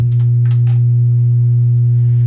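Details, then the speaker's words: 1970 Rodgers 33E theater organ, about 50 years old, just switched on; loud constant low hum from switch-on that never wavers, far beyond normal background hum: excessive hum in the audio path. "there is a hideous amount of hum now hum in an audio system especially an older audio system some of it can kind of be normal"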